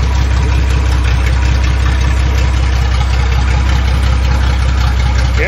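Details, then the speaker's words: Datsun 260Z test run on non-ethanol fuel, water-only coolant, reading 158°, small lower radiator hose leak: deep even idle rumble with steady burble through open exhaust, no knocks or misses; purrs, good sounding car. "she purrs. Good sounding car."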